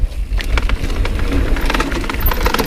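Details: NS Snabb mountain bike on trail, rattling like a jackhammer: irregular sharp clattering bursts over rolling trail noise from the rear end, traced to the derailleur cage slapping the chainstay.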